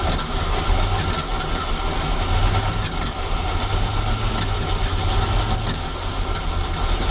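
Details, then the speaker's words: 1976 Ski Nautique V8 boat engine, Pertronix D231801 distributor, first start: deep uneven rumble that lopes and wavers, won't settle to idle without throttle opened; owner suspects clogged carburetor jets, plans carburetor replacement. "carburetor is off I had to open the throttle to to get it to run so at what it thinks should be idle is not enough um it's probably because some of the the Jets are clogged is my thinking"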